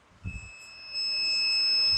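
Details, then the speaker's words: Microphone coil removed and cleaned of dust, checked on ohms with a clamp meter: steady high-pitched continuity beep as probes touch both coil terminals, showing the coil and terminals are intact. "যাক, আলহামদুলিল্লাহ, দেখতে পাচ্ছি আমরা মিটারের signal দিচ্ছে যে coil ওকে আছে, কয়েলের টার্মিনাল ঠিক আছে।"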